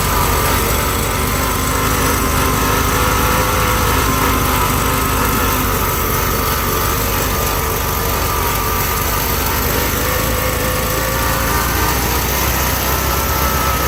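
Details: 1971 VW Bus Deluxe air-cooled engine idles unevenly at about four pulses a second with a steady generator whine, then dies; runs rich after a carb rebuild, choke on top notch, owner suspects carb adjustment, not confirmed.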